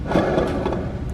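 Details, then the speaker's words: Kraftwerks supercharger kit idler pulley spun on the bench with the microphone right beside it: a dry, gritty rumble and rasp with vibration from a worn bearing with play; the pulley was polished from wear and a bracket stud broke. "that was noisy and vibrating so the combination of this making a noise the bracket has three points holding it on on the crafters kit"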